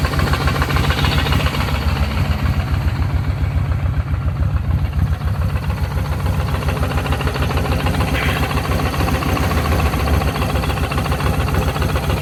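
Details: Kawasaki VN1500 Classic V-twin at idle after its engine ticking noise was solved: steady, even low idle with a smooth regular beat and no ticking; sounds healthy.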